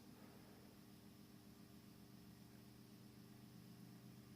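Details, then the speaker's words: Quiet, steady hum with soft airflow hiss from an industrial 220-235 V AC fan fed by a variac at about 110-115 V (US wall voltage equivalent), with no rubbing, rattle or bearing noise; it runs smoothly. "hear a little bit the fan running some noise I'm also feeling some of its cooling effects because different the air is blowing towards me"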